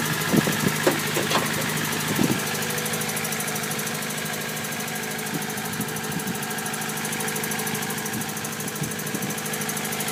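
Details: 1999 Honda Civic Si at steady idle with a dull knock repeating three to four times a second, deep in the block, source not confirmed; owner suspects a spun bearing and wonders if a shortblock is needed.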